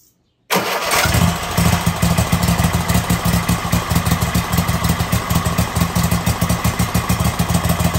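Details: Kohler 7000, back together with new pushrods and the exhaust manifold refitted, started on choke. It catches right away, then settles into a steady, even low chug at idle with no knocking. Normal running.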